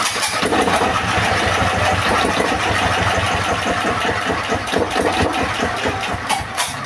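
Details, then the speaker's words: Secondhand S1115 single-cylinder diesel engine running after service from a no-start, steady even chugging with no misses, knocks or hunting; oil indicator rises well, runs healthy and fit for use. "Oke sobat diesel setelah kita coba hidupkan dan kita dengar tadi hasilnya sepertinya tidak ada kendala lagi ya pada mesin diesel ini dan mesin dieselnya ini Sudah layak untuk digunakan"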